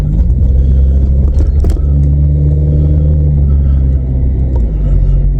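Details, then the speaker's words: 1997 VW Vento (Mk3 Jetta) automatic on a test drive after fluid, filter and gasket service: steady drone under load, then the pitch drops evenly. A smooth upshift into second, the smoothest yet, though it thudded into gear pulling away. "It's just changed into second so smoothly. That's the smoothest it's ever changed into second."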